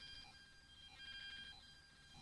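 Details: Poundland Via £5 Bluetooth speaker constantly making a quiet electronic chirping whine with flickering, warbling high tones and hiss; unwanted background noise all the time.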